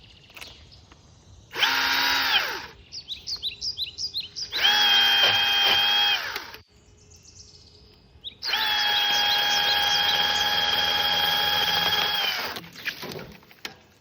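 Saw spins up to a clean, steady whine, holds its pitch through the cut and winds down smoothly; motor and chain sound healthy.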